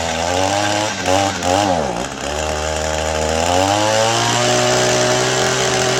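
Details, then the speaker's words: Gas two-stroke weed trimmer started after maintenance with a new fuel filter: buzz dips and bogs briefly, then climbs to a clean, steady high rev and holds. "In the gas tank to get it fired up, but I think it'll run a lot better now that I changed everything on it."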